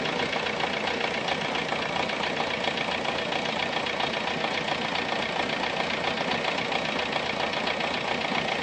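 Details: VW Golf 3 engine at idle with a quick, fairly even tapping, nearly four beats per second, over a hissy run; an abnormal engine noise of unknown cause.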